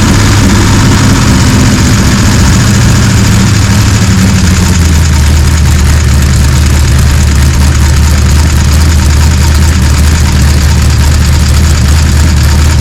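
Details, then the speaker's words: Gen 3 Hemi V8 on an engine run stand with Holley accessory drive, pre-lubed, fire-up; catches and settles into a steady, even deep idle with no knocks, clatter or leaks; sounds solid, normal idle. "So we've got a few little no leaks, no clanking, no rods coming out anywhere. She sounds pretty solid."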